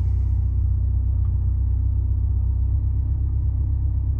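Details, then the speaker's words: Petrol car converted for hydrogen, on stock ECU, at idle with no load: steady even low rumble, OBD2 showing 900 rpm and 8° timing advance, no knocks. Normal idle. "here we are so we're connected now and it's showing 8° timing Advance 900 RPM which is not far off that at all"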